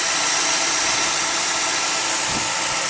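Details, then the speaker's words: 2004 Cadillac Deville V8 idling with the positive battery terminal disconnected as an alternator test; the idle stays even and steady with no misses or stalling, so the alternator is good; normal idle. "I think it's safe to say that this car does not have an alternator problem."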